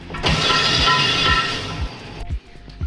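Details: Engine in FD Pro drift car, starter test before compression test, two coil packs broken on one side and three on the other: even cranking about two beats per second, no grinding or clicking; starter spins engine freely.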